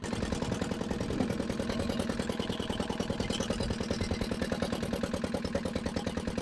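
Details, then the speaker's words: Barn-find dumper's single-cylinder diesel, first run after long storage, has compression, just started; steady but slightly uneven clatter about three beats a second, very smoky rough running. "it's running that does not sound good better see if the fire and all sorts of caught out there that is very smoky but let's see if it dries"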